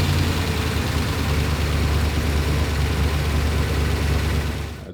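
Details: 1963 Corvette split window 340 hp small-block V8 after first start, timing being set: deep, steady idle with an even low rumble, no misses or knocks; normal idle.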